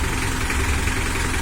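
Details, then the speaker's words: Mitsubishi L300 diesel before the injection pump was set, revved: rough, lumpy running with a heavy knock under it and weak power; injection pump timing out of adjustment. "ini saya gas dulu sebelum setel gak seberapa kasar Dias namun tenaganya ke"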